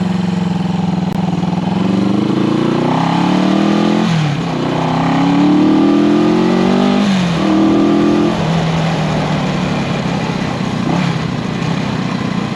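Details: 1974 Honda CB360 twin on test ride after fixing number two carburetor: revs up cleanly through the gears, pitch climbing smoothly without stumbling, then settles to a steady idle; normal running, no hesitation.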